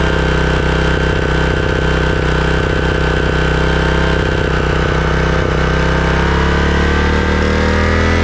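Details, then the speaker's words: Craftsman/John Deere riding mower engine that surged and misfired, after replacing the clogged Walbro carburetor: even, steady engine note at constant speed, no surging or misfires; carburetor was the cause. "okay well it looks like it was the carburetor all along"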